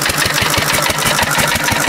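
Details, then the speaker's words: 1950s Cushman Cub single-cylinder four-stroke throttle-governed stationary engine running on nearly pure 91% rubbing alcohol: fast, even chuffing about eight beats a second with a soft tone, running slightly richer than on gas. "that's an interesting sound the it's running a little bit richer than gas ever so"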